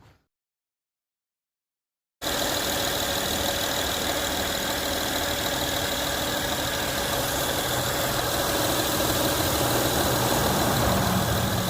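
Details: Honda Accord 3.0 L after power steering pump work and belt rerouting, engine started: brief silence then steady even idle with no power steering pump whine; normal.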